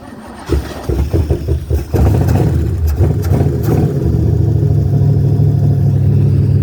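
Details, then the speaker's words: 1966 Toyota Stout engine that hadn't run in many years, first start with fuel dumped in. Several uneven cranking bursts, catches near two seconds, then settles into a steady low idle. Starts and runs normally. "oh yeah she's a beast she hasn't been running who knows how many years"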